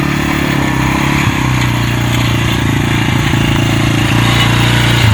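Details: 1998 Yamaha Warrior single-cylinder ATV, revived after fitting correct NGK spark plug to a loose plug that lost compression: pulls cleanly through the gears, steady firing, no misses or knocks, slightly down on power.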